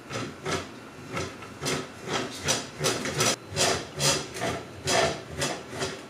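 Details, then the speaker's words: ADIMLab Gantry 3D printer filament spool holder rotating. Rhythmic rasping groans, roughly two to three a second, rising and fading as the spool turns; dry holder rubbing instead of rolling. Spool holder friction groan, to be fixed with ball bearings. "okay so one of the main things that's freaking bugging me is how much this thing it sounds like it's farting the filament holder when it rotates like like listen to"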